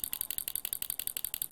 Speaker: it's flapping both ways the clicking you can hear is actually mechanical stops very simple very effective they did have limited output power